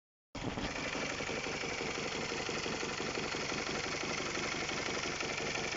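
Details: Honda K20A type 4 engine at idle; light, somewhat uneven knock about three times a second over a steady idle; engine knock.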